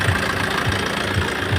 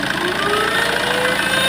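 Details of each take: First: Tata Safari Storme diesel at steady idle after engine oil, air filter, fuel filter and filters changed and turbo core replaced: soft low thump about twice a second, no whistle or rattle; engine noise problem resolved, runs normally. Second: Tata Safari Storme, turbo actuator worked by vacuum, then lifted by hand: thin whistle climbing in pitch over the engine as boost comes in; turbine likely has internal play, turbo possibly opened before. Turbocharger whine from worn turbo core.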